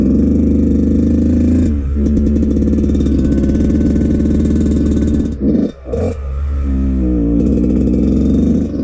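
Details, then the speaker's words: Yamaha YZ125 two-stroke on a cold start without choke, before repair; it had been smoking and dripping oil from the silencer. Blubbery, uneven running that sputters, stumbles and is slow to clear at idle. Very rich, from a leaking carburetor float. "First test, we're going to try it without the choke. Yeah, that sounds really rich already."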